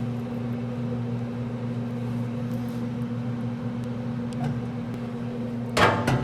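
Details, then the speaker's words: Pit Boss pellet grill auger motor running after the auger would not turn, suspected from foreign material or moisture in the pellets: a steady, even low hum with no clicking, straining or stalling; the auger turns and feeds normally. "sounds like it's working pretty"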